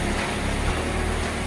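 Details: Electric fan reassembled after cleaning out dust and tightening loose parts to cure a tak-tek ticking noise: smooth, even motor hum with a steady low drone and no ticking or knocking; normal fan running.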